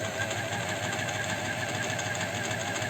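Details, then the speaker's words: Astralux M10 sewing machine after repair, tension adjusted with play under 2 mm, cleaned, running open outside its housing: light, quick, even ticking with soft hum, no knocks or rattles; well oiled, runs smoothly, almost whispers. "все машиночка почти Шепчет когда это Соберется в корпус все эти звуки там останутся и будет вообще Тихо тихо работать"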